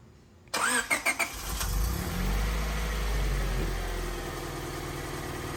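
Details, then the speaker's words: Honda Civic SiR B16A freshly rebuilt with 81.5mm ARIAS pistons, maiden start-up after pre-priming oil; short crank, catches almost instantly on one click, settles into steady even idle with no knocks or misses; normal start-up. "oh that long is really good it's one click because it's already primed"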